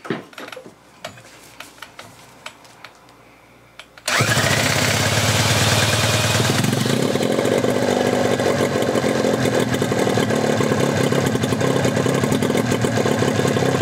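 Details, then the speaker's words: 1981 Evinrude 15 HP outboard: few quiet clicks then fires and runs steady and even with no whine; powerhead healthy, earlier whine traced to lower unit. "I hear no whining foreign sounds good I got my sucker off so you can hear the engine no whining so the winding was in the lower unit motor sounds good real good"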